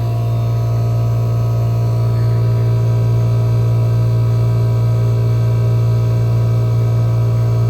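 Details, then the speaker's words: 1974 Friedrich Quietmaster air conditioner on low fan with about 47°F supply air; owner may fit a longer cap tube. The compressor gives a strong, steady low hum that can be heard from a distance, with no knock: loud compressor hum, cause unknown. "And it's loud. You can hear it from a little bit away. It sounds like a Bristol."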